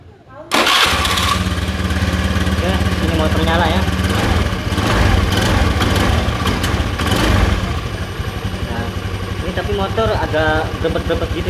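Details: Honda Beat FI scooter that had stalled with no ignition (suspected ignition switch, regulator/kiprok or corroded wiring): it catches quickly and settles into a steady, even putter with no misses, starting and idling normally.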